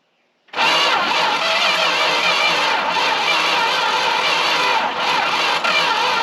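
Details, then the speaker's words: Long-sitting Dodge W300 4x4 dump truck after battery charging; about six seconds of steady cranking, engine trying to catch but not running; owner suspects weak battery or a suspicious hose-clamped wire. "almost thought i heard something there i think we might be actually getting somewhere here that definitely sound like it's about to go"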